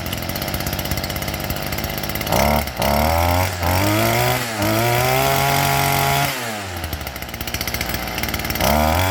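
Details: STIHL FS38 two-stroke trimmer after carburetor replacement and screwdriver adjustment of high and low: crisp buzz revving cleanly and dropping back to a steady, even idle; running healthy.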